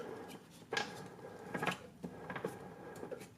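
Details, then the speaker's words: Mazdaspeed 3 transmission with engine removed, heard in neutral and turned through its gears: irregular marble-like metallic clatter from a loose metal chunk, gear selectors failed; throwout bearing also worn and was first suspected. "there's a chunk of metal just floating around in there it sounds like a marble"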